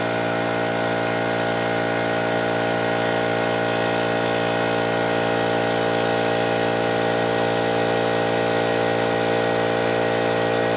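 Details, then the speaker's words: Old pancake air compressor running in garage, noise test against California Air Tools 2010A: loud steady buzzing drone with fast even pulse, no knocks or dropouts; peaked over 85 decibels consistently, pumping normally but loud. "so I think as you can see it peaked over 85 decibels pretty consistently a pretty loud compressor"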